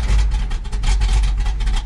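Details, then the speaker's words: Cold idle right after a two-pump start on a frosty winter day: deep, choppy, steady lope from the big hog cam, even and unbroken, a normal healthy cold idle. "Neutral, give her a couple pumps, 2 pumps, lights right off, and idles. Listen to that hog cam, Duff."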